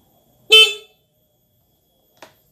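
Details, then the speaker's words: Older carbureted Honda Beat scooter with a non-working starter: the horn gives one short, loud, clear blast followed by a faint click. The horn is strong and works normally. "untuk bel untuk bel ini sangat keras sekali ya jadi apa namanya kencang sekali"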